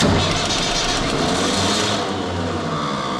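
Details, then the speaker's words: Universal tractor, cold start: engine catches and runs but a harsh starter whir continues over it, pinion not retracting after start-up; owner suspects the starter solenoid rather than the gear. "çalıştıktan sonra kaçıyor bu çek Benz çok soğukken çok zorlanıyor dinama dişi geri çekmiyor O zaman dişte değil sorun otomatikte olmalı"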